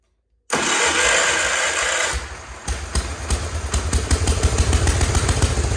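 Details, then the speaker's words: Wheel Horse C-120 small tractor, good spark confirmed and fuel now reaching it: brief cranking catches into a steady, even putter with a firm low beat and no knocks; healthy engine. "How nice does that sound for a small engine? That was really good."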